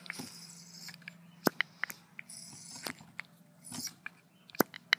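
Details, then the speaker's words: Nitro RC engine turned slowly by hand at the flywheel, glow plug in: a sharp pop each time it rolls over top dead center, meaning compression is good. "you rotate the flywheel so you can hear it that popping noise did you hear it that's it"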